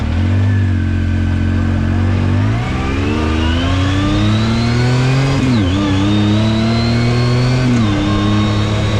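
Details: 2019 Yamaha YXZ1000R SS side-by-side, 5-speed sequential paddle-shift gearbox, neighborhood drive: revs climb and drop through quick paddle shifts with a faint rising gear whine over the exhaust; healthy drivetrain, normal gearbox whine.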